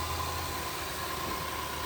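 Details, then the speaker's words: L322 Range Rover 5.0L V8 started dead cold: a quiet, steady low idle with an even rumble and no discernible timing chain noise or ticking; sounds normal, though coolant was found very low. "fire right up and actually sounds pretty good it was dead cold no uh discernable timing chain noise"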